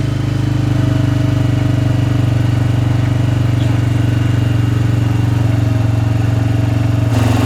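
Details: Suzuki Vinson ATV with a freshly rebuilt single-cylinder engine, not yet broken in, on first run after installation, valves set on the bench; smooth, even thump at steady idle, no ticks or knocks: normal idle.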